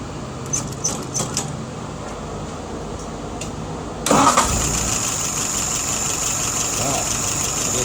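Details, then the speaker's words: Restored WO 636SA carburetor on a 1948 Willys CJ2A, warm restart with no leaks or drips; a few clicks, then it catches at about 4 s and settles into a steady idle around 660 rpm, fuel pressure about 2.75, vacuum 23.5; normal idle. "Right now, idle RPM is at about 660. Looking good."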